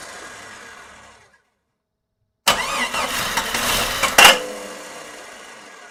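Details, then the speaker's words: Jeep XJ 4.0 rebuilt engine, first start attempt: starter spins briskly under two seconds with no firing, cranks but won't start; owner suspects fuel not yet there or neutral safety switch. "So for some reason it's not activating though. That could be fuel, still not there."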